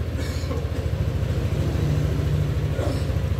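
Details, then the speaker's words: Scooter engine after cleaning and idle recalibration with fault codes cleared, before reaching 80°C: steady low even putter around 1600 rpm, no hunting, surging or high idle; stable normal idle. "normal ya diangka 1600an E motor masih stabil tidak ada l bagian langsam tidak ada juga op atau terlalu tinggi di bagian langsam atau engine speed-nya"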